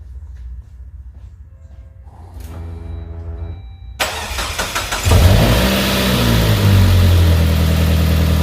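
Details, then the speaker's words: Saab 9-5 with intermittent low oil pressure (owner suspects a clogged oil pickup screen), starting with engine flush added: starter cranks, engine catches and revs, then idles with light, even tapping about four per second, expected valve clatter. "we are now ready to start it up no doubt there's gonna be some valve clatter and such but we're gonna let it run for a few minutes and then maybe let it sit check the oil level start it back up again"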